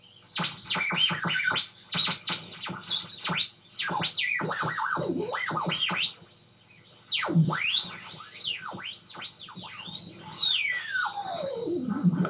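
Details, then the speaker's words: Homebuilt FET-based AM radio tuner with salvaged tuning capacitor and coil, long-wire antenna: constant warbling whistles sweeping in pitch drowning barely audible stations, affected by supply voltage; receiver breaking into oscillation. "but what do i do about all this whistling noises that it's making and this project is pretty much grounded until i can get that sorted out"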